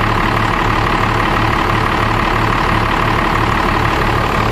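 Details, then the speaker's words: Dodge Ram 12-valve Cummins diesel after cold start at about 36°F using parallel-wired 7s 2.5V/2600F ultracapacitor pack, charging just over 14 V: even steady diesel clatter at settled idle, no misses; running fine. "and then obviously the sounds like it's running just fine"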